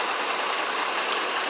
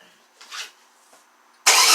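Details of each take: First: 2002 GMC Envoy 4.2 that had a hard cylinder 2 misfire at idle, after swapping coils: short burst of steady engine-bay hiss and hum, no stumbles; scan tool shows no current or history misfires; idle even and healthy. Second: 2002 GMC Envoy 4.2 idling with an uneven, stumbling beat about three or four times a second; scan tool confirms constant cylinder 2 misfire.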